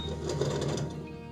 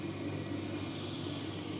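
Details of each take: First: Electrolux/Simpson/Westinghouse clothes dryer running with little airflow: a fast, regular light clatter of about six ticks a second over the motor hum; owner suspects the blower fan has come off the motor, broken or come loose. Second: Electrolux/Simpson/Westinghouse clothes dryer after blower fan replacement with the belt refitted: an even, steady tumbling hum for about five seconds, then the motor stops with a few light clunks; runs smoothly.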